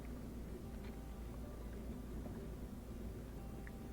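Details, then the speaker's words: New Bosch Ascenta dishwasher, just installed and running a while on its first test, rated only 50 decibels: low, steady hum with faint water swishing and no knocks, rattles or whine, normal quiet running. "It's been running for a little bit now, doing a good job cleaning. I think it looks really good. It's very quiet. It's only 50 decibels."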